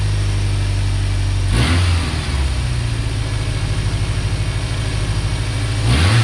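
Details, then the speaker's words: 1990 Ford Ranger, reman long block, PCV line reconnected, idling: lumpy idle with uneven low chuffing, revs dipping and recovering, exhaust at the tailpipe pulling back in and out inconsistently. "just to show you what I was talking about with the exhaust on this thing pulling back in and out in and out it's not a consistent I think it's one up in the pipe which it shouldn't be doing"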